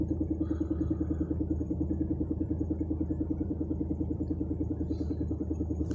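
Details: UAZ Bukhanka van with a petrol engine at idle: a steady, hollow knock about three times a second over the low rumble, coming from somewhere underneath with the hood open; it comes and goes and varies from quiet to very loud, cause unknown.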